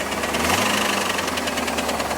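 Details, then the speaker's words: IROC Camaro at about 160° operating temperature with good oil pressure, surging at idle. Fast, regular, sharp clacking ticks over the idle are unchanged with warm-up and throttle, pointing to an internal engine ticking knock of unknown cause. "That noise is the exact same as it was before."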